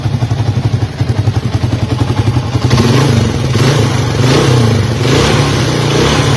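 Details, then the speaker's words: 1982 Honda XL250R single, sold as noisy and finished, after service with fresh oil: even steady idle thump and clean crisp revs, no ticking or clatter; engine healthy, noise came from the repaired parts. "As you can see, the engine is it's actually really healthy, so the extra noise was coming from those parts we fixed."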